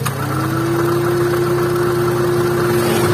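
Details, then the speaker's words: Honda Brio (first generation), AC on at idle: a steady mid-pitched rough drone comes from the AC compressor, present only with the AC on and gone when switched off; likely a rough compressor pulley bearing. "Ketika kompresor AC dia berputar, dia kasarnya. Dia kasar seperti itu. Kasarnya ada di kompresor."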